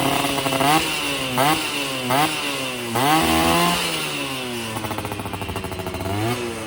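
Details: Yamaha F1ZR two-stroke after a major service and porting for daily use; setting, lean before, now right; standard 14/38 gearing. Revs up and drops back cleanly without bogging or stutter. Normal running.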